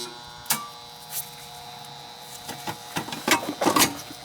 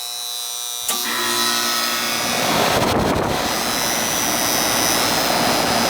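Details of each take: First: Goodman AC outdoor unit not starting, call for cooling: steady electrical hum with no motor spinning up, handling clicks; unit energized but stalled, bad capacitor suspected, not confirmed. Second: Goodman AC condenser after its bad, puffy run capacitor was replaced: silence, then the unit kicks on and winds up into a smooth, steady hum and whir. It starts and runs normally.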